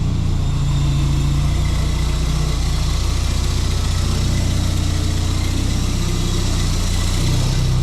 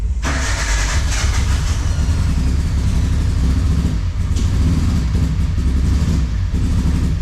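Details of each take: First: Suzuki Sierra idling after a jump start from a flat battery; low, steady idle with an even beat and no missed pulses; it is now firing on all 4 cylinders, possibly after the spark plugs were recently cleaned. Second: Carbureted car with distributor and 4-tooth trigger, pushed in, first start with fuel smell: catches into lumpy uneven idle chugging like a small mower; rough running, cause not confirmed.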